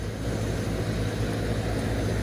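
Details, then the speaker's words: Walk-in cooler condensing unit, found not running because it was stuck in defrost with the defrost timer out of time, now back on normal cooling: steady, even low compressor hum with a smooth fan rush and no knocks or rattles; running normally. "as i noticed the uh the walking cooler condensing unit wasn't running but it's in defrost right now let me get it out of defrost defrost timer was out of time"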